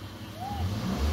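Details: Toyota Corolla Altis with a hard-starting delay, blamed on air in the injectors and lost fuel pressure. After cycling the pump to bleed the air, the engine catches and revs up smoothly with a steady low rumble, no stumble or misfire; normal start and rev.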